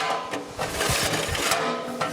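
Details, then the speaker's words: Victa 526 mower, restored with redone spindle and new bearings, hard to start when cold: dry rasping recoil pulls with no engine catch because the dried-up starter clutch balls don't engage, so the pull start slips; starter clutch needs fixing. "oh dear ah fix that starter clutch okay the catch don't work on a starter now"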